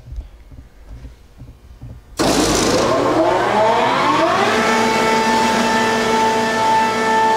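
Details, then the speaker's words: Quincy QSVB25 25 HP vacuum pump rated 371 CFM at 29.9 inHg, new inlet filter, from a CNC router: spins up over about two seconds to a smooth steady hum without knocks or rattles; normal running. "again a really nice clean well-serviced smooth strong running pump"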